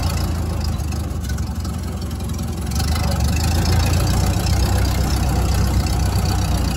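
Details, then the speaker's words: 1929 Ford Model A Town Sedan, first start after 35-40 years in a shed: idling with rough gravelly growl swelling with clutch pressed in, badly worn clutch throwout (thrust) bearing. "clutch in. You can hear the thrust bearing is in pretty rough shape."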